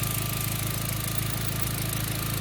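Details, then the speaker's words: B5 Passat after spliced-in ignition coil pigtail replacement: steady, even idle hum with a faint high whine, no misses or stumbles; ignition now running clean. "I think we got it running again. It's sounding good. And we're looking good."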